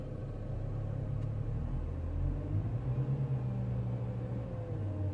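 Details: BMW E92 335i: a low, droning buzz with a rattly edge over the engine, rising and falling with the revs, coming from the air conditioning system.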